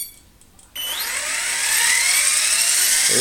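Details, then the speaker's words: Electric RC helicopter with iKON flybarless and Hobbywing RPM sensor, Castle HV ICE II ESC: after throttle-hold release, spool-up in stunt 1 (2200 rpm) climbs smoothly to a steady whine, no hunting; the previous night's rise-and-fall surging didn't recur. "obviously now that i've done the video it's not doing it so hopefully all is okay"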